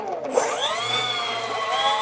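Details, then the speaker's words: Tian Sheng Airbus A380 RC model EDF motor test, throttle cut off: high fan whine sags and dips then picks back up as the motor cuts out and restarts; bad solder joint on the connector. "Now it's working. Now it's not. Bad solder joint right there."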